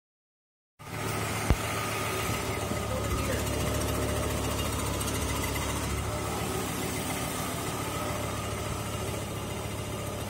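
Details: Volvo 850R engine idling: steady idle with a light quick ticking from the new timing belt, installed slightly off-centre, rubbing on the idler pulley; another new belt was fitted.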